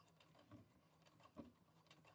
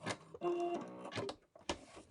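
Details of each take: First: Brother Innovis A150 at 4.5 stitch length sewing through 8 layers of denim: slow, uneven heavy thumps about two a second as the needle labours, struggling a little; strained needle penetration under heavy load. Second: Brother Innovis A150 sewing machine on many thick denim layers at 3.5 stitch length: short bursts of quick, even stitching chatter, punching through without labouring; normal sewing.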